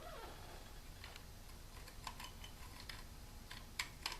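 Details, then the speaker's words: 40-year-old clutch basket: soft, irregular clicks as a friction disc is moved up and down by hand, catching in worn notches that keep plates from separating. "And that's that friction disc, you know, going up and down and into those little notches."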